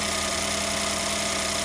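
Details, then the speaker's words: Ford 1.5L GTDI EcoBoost four-cylinder just after spark plug replacement: smooth, even idle with a steady hiss and no stumble. All four cylinders fire cleanly with no misfires or installation errors. Normal idle. "as you can see all four cylinders are hdden just fine no misfires no installation errors and the engine's nice and smooth like that"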